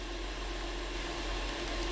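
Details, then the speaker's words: 2012 Honda Pilot 3.5L V6 that had a flashing check engine light and code P0303 (cylinder 3 misfire): steady, even idle with no stumble and no misfires counting on the scan tool. Normal idle, fix confirmed. "well right away I can feel smoother obviously we don't see any misfires counting up but I just feeling the steering wheel I can feel its nuts it's nice and smooth I don't feel that fish bite"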